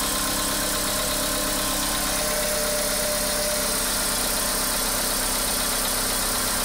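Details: Idling engine with a light, somewhat irregular tapping about three per second over a hissy background; knock at idle with low fuel noted, cause not confirmed.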